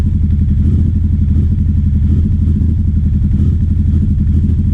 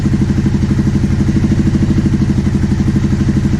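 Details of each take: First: 2009 Aprilia Shiver SL750 V-twin, about a minute after starting, no error messages: lumpy idle that wavers and jumps up and down instead of settling. Replacing both air pressure sensors in the airbox seemed to fix it; hunting idle. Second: 2009 Aprilia Shiver SL750 after replacing both air pressure sensors in the airbox: a steady, even idle with a regular low thump about three per second. The earlier idle jumping up and down after about a minute is gone.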